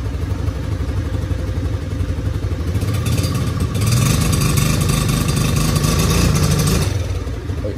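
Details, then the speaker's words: 2019 Suzuki LTZ50 quad after carburetor cleaning and idle, part-throttle and throttle plate adjustment to fix fuel delivery, warmed up: small single idles evenly, throttle blip rises cleanly, settles without dying; normal idle. "once i adjusted the idle the part throttle and the the throttle uh plate i cranked it up let it warmed up and it was acting perfect so now i can actually start it up so there you hear it idling"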